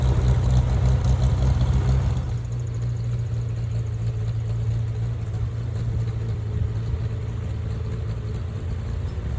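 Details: Farmall tractor (1949 H or 1968 656) being sorted for fuel issues and cutting out, settling into a steady, even low thrum with no knocks or misses after carburetor adjustment; it had barely run over 30 seconds before. Owner plans a fluid flush and fuel tank work. Normal running.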